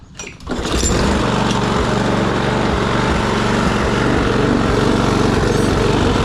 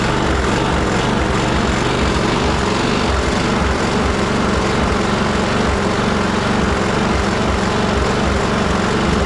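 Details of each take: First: Troy-Bilt push mower, Briggs & Stratton Quantum auto-choke engine, after carburetor cleaning, rpm raised from about 2,800 to 3,100–3,200: starts after a couple of pulls and runs fairly evenly with slight surging; steady running. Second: Troy-Bilt push mower with Briggs and Stratton Quantum auto-choke engine, after carburetor cleaning, before raising rpm: small engine runs with uneven hunting, rising and falling about once a second; still surging, somewhat better than before.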